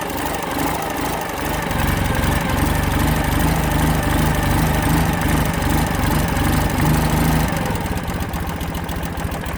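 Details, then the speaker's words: Carbureted Ural Sahara twin with new-style starter, enrichners just pushed in, 40 degrees out and cold, needing several minutes' warm-up: steady, even idle putter with a quick throttle blip settling straight back; idles cleanly. "that she's gonna idle and with it being carbureted and it being 40 degrees out before you were going to take off you'd want to let it warm up for several minutes"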